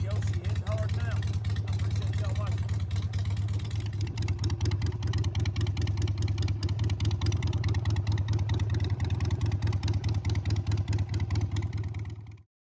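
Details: 2005 Harley-Davidson Sportster 883 after no-start diagnosis, second plug reinstalled; even loping V-twin rumble holding steady without cutting out or misfiring; normal running.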